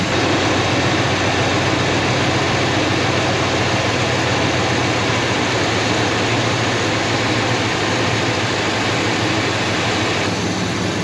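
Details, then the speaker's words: 1969 Buick Wildcat V8 revived after 26 years with 10W-30 oil and a new oil pump: an even, steady idle with a smooth low rumble and no ticking or knocking, much quieter than before, with instant oil pressure. "that 10w30 and that new oil pump definitely made a big difference much quieter huh so much quieter"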